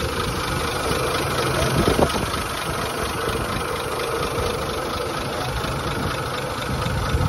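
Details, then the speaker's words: 1920s Rolls-Royce Springfield Ghost after start on both ignition systems, shutters open, no fuel shot needed: low, even idle rumble holding a steady beat with no misses or hunting; normal idle. "There she goes. Yep. Guess we're pushing her, huh? Listen to that engine purr."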